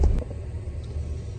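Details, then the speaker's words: Detroit Diesel heavy-duty truck engine at idle after replacing the quantity control valve to fix rpm surging; deep, even rumble with stable rpm and no more surging. "all right you can see that the rpm at idle is stable now you don't hear the surging anymore"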